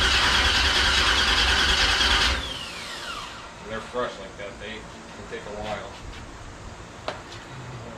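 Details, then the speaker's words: 1971 Chevelle small-block Chevy, first start attempt after sitting for unknown years, no gas and distributor not yet fully set up, no oil pressure seen yet: strong, even cranking, then the starter winds down cleanly with no backfires; normal starter cranking. "yeah he's turning over it sounds correct you know what I mean no bad I don't feel I don't hear any backfires"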